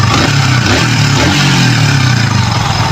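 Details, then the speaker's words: Yamaha Vixion after rough-running engine repair, oil filter changed and valve clearances set at 0.7 and 0.10: engine pulls smoothly through throttle blips, firing evenly with no knock or rattle; back to normal. "Oke, ini sudah kembali normal."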